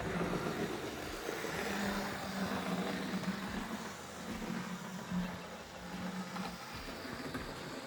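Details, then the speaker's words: Fleischmann V100 switcher model locomotive after service and tune-up, cranked to high speed: light, steady motor whirr at an even pitch, no stutter or grinding. Running smoothly. "It's running very smooth. I like that. I think the service really helped it."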